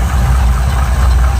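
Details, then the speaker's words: 1971 Chevy pickup V8 on points ignition, with power steering and power brakes, idling with a deep steady rumble and no knocks, misses or rattles: a normal, smooth-running idle. "got the you know foger jet on it with Point still power steering power brakes that really runs nice and smooth"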